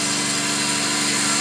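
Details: 2005 Subaru Outback VDC wagon, 3.0 H6, 80k miles, engine running: a harsh, steady grinding whir with a fast, even chatter from a bad idler pulley. It first sounded like belt squeak and was silent after replacement.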